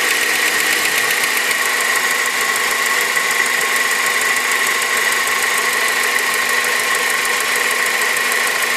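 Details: Honda K20 engine at idle: a rapid, even ticking rides over a steady idle with a bright hiss on top, a light mechanical tick of unknown cause. Engine ticking at idle.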